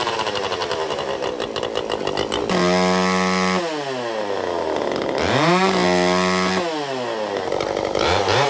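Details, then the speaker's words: Restored vintage Pioneer P41 66cc two-stroke chainsaw after a carb rebuild, first run with a modified free-flowing muffler that is louder and cracklier. A loud crisp snarl climbs and drops cleanly with each throttle blip and pulls strongly. Normal running. "We got a nice free flowing muffler. It's going to have a little more of a crackle, snap, pop to it. All right, so the muffler model, let's fire it up. It's a little louder."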